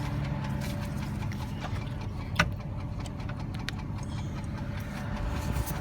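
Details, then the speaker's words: 2005/2006 Dodge Durango 4WD, 4.7 L V8, 154,000 miles, idling with hood open: steady low rumble with faint, uneven light ticks; cause unknown, mechanic says it may be drivable for a long while. "re is some type of tick I don't know what it is um my mechanic said that you might be able to drive it for quite a while before it has any effect"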